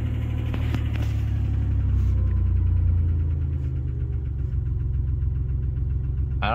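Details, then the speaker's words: 1990 Dodge Grand Caravan LE after a fuel rail rebuild and reassembly: the fresh start settles into a low, busy idle with a light, uneven clatter on top. Owner suspects no oil pressure though the pressure switch is connected; unconfirmed. "it's running I don't think I've got oil pressure but I don't know I don't know if that's working kind of sounds like it doesn't have oil pressure"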